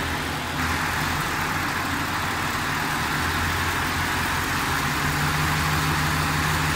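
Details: 2010 Ford Expedition 5.4L 3-valve V8, in drive with foot on brake, rpm lightly raised under load during VCT solenoid unplugging tests. Steady engine drone with faint, uneven chatter on top.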